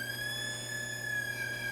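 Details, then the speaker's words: Aiwa TPR-910 stereo cassette boombox with constant hum, no audio output and tape spindles not turning in play; steady, high, wavering siren-like whistle with no music, playback electronics misbehaving, cause unclear. "that's not good sounding but all right so still don't have any sound whatsoever in this machine"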